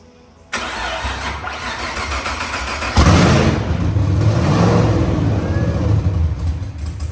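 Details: Wagon project car's first start after lean condition traced to manifold leak, temporarily sealed with painters tape on back of manifold: cranks briefly, catches at once, quick rev, settles into steady even idle without hunting or stumbling; normal.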